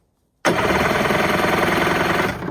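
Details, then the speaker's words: 1994 Kawasaki 550SX stand-up jet ski, reed two-stroke, non-runner: steady, even cranking chuff with no hesitation; compression later measured about 180 psi on both cylinders, and spark present. "She turns over. Sounds pretty good, too. I'm going to run a compression test real quick, then test for spark."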